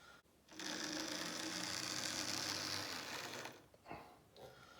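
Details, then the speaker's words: Old, battered Lima class 47 model locomotive in Virgin Trains livery running on DC: high buzzing whirr with a rough, gritty edge, quite noisy, doesn't run very well. "of which is the Lima 47 8 to 7 in Virgin Trains livery as you could probably hear there it's quite noisy run rows a lot of the Lima the locos were it's it's pretty battered as a loco"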